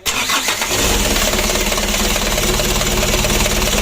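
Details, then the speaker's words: Freshly rebuilt 120 PS 4D34 diesel with a manually serviced injection pump: short crank, then it catches at once and settles to a steady, even idle clatter; oil looks good. "Untuk mesinnya sudah hidup. Kita lihat dulu olinya. Untuk olinya bagus."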